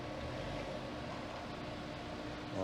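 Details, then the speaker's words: Honda Accord that had no acceleration with misfire codes on cylinders 2 and 3, a random misfire and P0339, after repair: a steady, even engine hum rising smoothly as it pulls uphill, with no stumble and no flashing light; running clean. "let's get the word pulling up this hill really easily rides a lot better it's not flashing or nothing that's a wrap"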